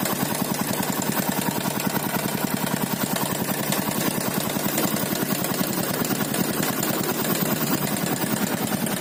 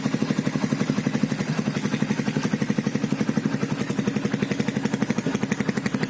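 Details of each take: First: 2012 Yamaha Byson carbureted single-cylinder: fast busy metallic rattle steady over the idle; worn slack cam chain, due for replacement. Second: 2012 Yamaha Byson carbureted motorcycle after cam chain replacement and oil and filter change: steady even idle about three firing pulses a second, smoother than before, no chain rattle or clatter; normal idle.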